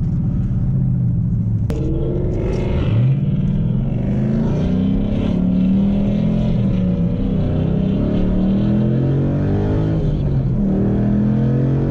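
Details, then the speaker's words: 2012 Ford Mustang Boss 302 with MT82 manual gearbox, stock tune, new cold-air intake, cold weather: a clear whine rises and falls with rpm over the exhaust rumble while pulling in first gear. The owner suspects transmission whine under load; the cause is not confirmed. "listen everybody hear the whining it goes up with rpm so it's definitely a transmission"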